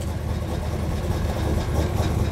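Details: 1935 Chevy Master, newly installed 409 stroker V8 at first start-up on jack stands running in the differential: deep, choppy cam lope at idle, steady and even; oil pressure and temperature reported good, so the idle is normal.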